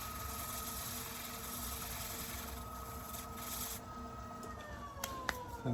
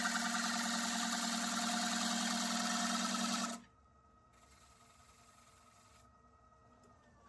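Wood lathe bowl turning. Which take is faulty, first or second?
second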